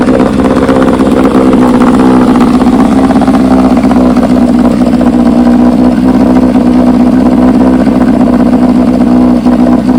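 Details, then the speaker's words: 1968 Johnson 9.5 HP outboard in test barrel after universal pulse fuel pump upgrade (old diaphragm dead, stalled on throttle): smooth even buzzing run, constant drone, no misses or stumbles; water pump working. "I ran it for 4 minutes and ran good. Water pump seems to be working."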